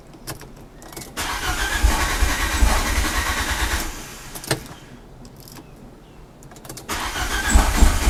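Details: Fiat Panda with swapped Abarth Panda Turbo T-Jet engine: several bursts of fast, uneven cranking with pauses and no clean catch; hard start, plenty of fuel; no Lambda sensor errors.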